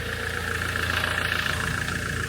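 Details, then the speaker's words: 2008 Land Rover Defender 2.4 Puma diesel idling after injector seals and seats, copper washers and rocker gasket were replaced to cure oil-cap chuffing and oil spitting. It is now dry at the cap and gives a steady, even clatter with no misses. It runs smoothly with more performance on a test drive. "I back from a big old test drive now definitely got some performance back in the car it runs really smoothly which is nice"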